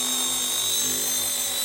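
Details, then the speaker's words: RC ERA C190 Airbus H145 RC helicopter flown before repair: shrill, steady high whine with a rough edge over the rotor buzz, erratic with heavy vibration upsetting the gyro so it won't stay stable; damaged main gear meshing badly. "You hear that? Very erratic. Lots of vibrations to the point that it's not staying stable."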